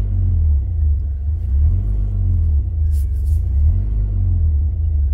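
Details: 2003 Mitsubishi Pajero NP 3.8L V6 automatic, check engine and traction control lights on, code P0100 MAF circuit: low idle surging and sagging every couple of seconds, hesitation and loss of power; faulty mass airflow sensor.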